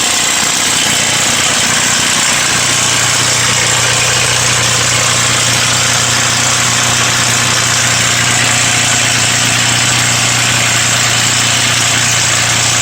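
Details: Ford Mustang 4.0 V6, about 120k miles, at idle: loud, uneven clattery rattle strongest at front of engine; owner almost certain of a broken timing chain cassette guide, engine to be replaced with used one. Timing chain guide rattle.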